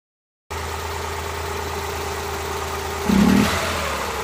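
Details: Suzuki Multicab F6A small engine idling with an irregular stumble and occasional uneven puffs breaking the rhythm, pointing to a random misfire at idle.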